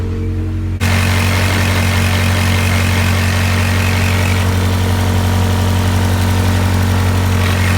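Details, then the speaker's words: Honda CRX with all-motor B17 swap after jumping timing, fuel cut about 20% for richness, cold start: catches and settles into steady even low idle with no stumble or miss; normal cold idle. "so feeling looks alright for a cold start alright well I mean I don't hear a misfire"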